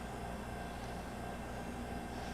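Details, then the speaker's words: JVR Vac100 chamber vacuum sealer, smaller pump about a quarter horsepower, lid down and pulling vacuum: low, even, steady hum, no knocks or rattles; vacuum pump running normally. "All you have to do is drop your lid down and it starts pulling a vacuum. And you can hear, or not hear, the pump."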